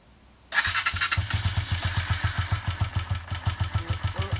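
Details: Honda CG125 first start attempt on a borrowed battery, original weak; uncleaned carburetor, old fuel: starter churns at three to four strokes a second, engine catching only weakly between; eventually runs with low idle. Hard starting.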